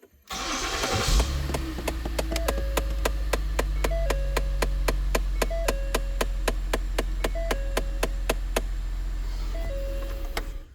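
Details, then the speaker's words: 2010 Ford SHO at engine start: sharp, dry tick about four per second behind the dash, occasional soft chirp; suspected faulty AC actuator, unconfirmed. "that is a AC actuator I actually saw this online"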